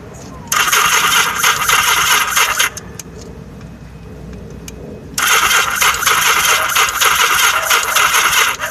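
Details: Yamaha XS1100 motorcycle no-start: two long bursts of quick whirring cranking with no firing between them; weak battery and incorrectly installed octy suspected, not confirmed.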